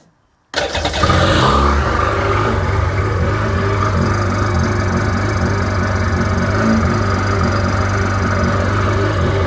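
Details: Rebuilt Sea-Doo GTX DI 951 two-stroke (new parts after cracked case, seized crank), first start on the hose, no driveshaft, cooling water connected; fires instantly and settles to a steady even idle, no misses or knocks; normal idle.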